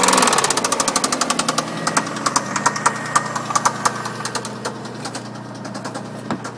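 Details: MG ZT idling: sharp, steady ticking knock about three per second over the idle, fading slightly as it settles; engine knock, cause undetermined.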